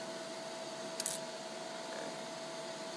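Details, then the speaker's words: New Lincoln Aspect 230 AC/DC TIG welder, DC pulsed welding of 304 stainless at about 0.9 Hz pulse: quiet steady arc hiss with thin whine and a soft pop about once a second; normal slow-pulse arc. "you can hear the pulsing it makes kind of a popping sound at this lower frequency"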